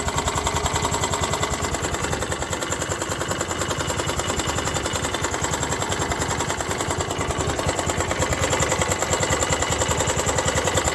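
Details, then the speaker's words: Honda Activa 125 scooter at idle: rapid, steady knocking about three to four a second runs through the idle; damaged crankshaft needing complete engine rebuild. "तो यहां पर अगर आप ध्यान से सुनेंगे तो इसमें क्रैंक का भी साउंड आ गया है क्रैंक इसका डमेज हो गया"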